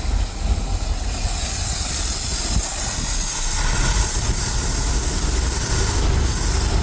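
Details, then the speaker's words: Ford F350 carbureted dump truck, after new belts, with the carburetor needing adjustment. Steady rumbling idle with a strong airy hiss over the top; owner says it sounds like it's sucking a lot of air. Intake air hiss at idle. "Said everything you could ever want, except what you need when you need it. Sounds like it's sucking a lot of air."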